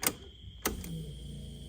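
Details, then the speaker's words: 1980 Datsun 280ZX, key to on, coolant temperature sensor just installed: clicks then steady hum and faint whine as the fuel pump keeps running instead of stopping after 3–5 seconds, flooding the engine; owner suspects a bad signal. "you can hear the fuel pump running. Should run like 3 to 5 seconds, but it continues to run."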